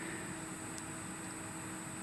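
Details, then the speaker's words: Rebuilt 2005 PC with graphics card under rendering load: a steady thin high-pitched coil whine over fan hiss, with a fainter low hum, rising in pitch the harder the card works. "So, basically, you can Yeah, you can it sounds as if there's a speaker in in the in the system, but that is just the voltage flowing through the card. So, the more rendering it's doing and the the harder it's pushing, the more electricity it draws, the more it makes a sound."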